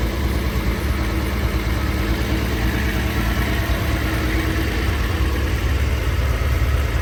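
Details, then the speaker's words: First run after rebuilding Solex Mikuni Type R carburetors, untuned, carbs left as when removed: steady low engine rumble idling evenly without misses or knocks; normal idle. "But this is like, I haven't even like really tuned anything. This is exactly how the carbs were when I pulled them off, like all the"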